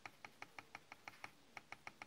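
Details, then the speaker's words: 2015 Dell XPS 13 9343 laptop: quick light taps, about five a second, give a hollow tinny clack from a defective loose, rattling trackpad, not clicking. "I'm not clicking on it. Just tapping on it. This is clicking. So, it just seems loose and it just bothers me."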